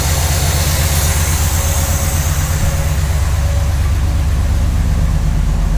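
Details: 1968 Chevrolet Impala V8 idling after valve/lifter adjustment, new dual exhaust and reinstalled plugs; deep, steady lumpy idle with even firing pulses and no lifter ticking on top; running smoothly, normal idle.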